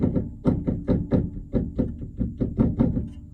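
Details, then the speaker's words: Vectra B (1997–2001) rear suspension struck by hand: sharp hollow knocks about three a second from play in a worn stabilizer bar bushing, heard inside as knocking over bumps; fixed by replacing the bushing. "ó isso barulho aqui incomoda dentro do carro então é isso troca a bucha da barra estabilizadora resolvido o problema"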